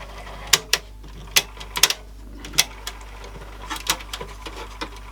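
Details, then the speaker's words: Samsung RCD1300 boombox cassette mechanism after service and cleaning: light, crisp mechanical clicks in uneven bursts with quiet motor hum; the reinstalled auto-stop is clicking and working normally. "If I hold the button down, you can hear it clicking, or if I rotate the other thing. So we know the auto stop that I put back in is all working."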